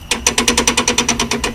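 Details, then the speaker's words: Lockrite locker in the rear differential, with one wheel lifted off the ground and freewheeling. Crisp, even clicks at about eight or nine per second from the ratcheting mechanism: normal locker ratcheting. "This one's up off the ground. And you can hear the clicker, the ratcheting mechanism in the back."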